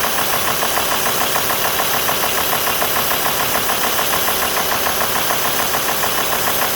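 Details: Warm Alfa Romeo 2.4 JTDm diesel at idle with 90°C water temperature: a sharp, even ticking knock at about 136 per minute, steady and regular. The source is undetermined.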